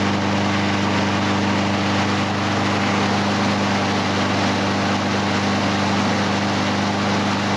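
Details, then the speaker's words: Husqvarna HU 700F push mower after carburetor work, oil still good and fine air filter: steady, even drone at constant speed with no misses, surging or knocks; running healthy. "Knock on wood, we got a good running mower."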